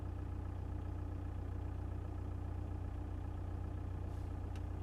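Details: 1.9 TDI diesel engine at idle: steady regular knock about three times a second over the diesel clatter; engine knock, cause unknown.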